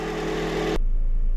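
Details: 2001-05 Honda Civic EM2 D17 the day after a valve adjustment for misfires, engine not yet warmed up; steady even idle with no skips; no misfires, vibration from blown motor mounts.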